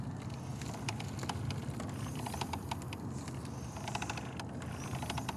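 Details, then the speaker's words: McLaren 720S Spider door gas strut as the door swings: quiet, dry creaks and squeaks in irregular bursts. Worn, failing strut that may lock up or stop supporting the door. "can hear them creaking. Sometimes it's a little bit like that, and they get slightly worse, and then it could fail in the up position, which is bad, or it can fail where you have to actually pull the door open."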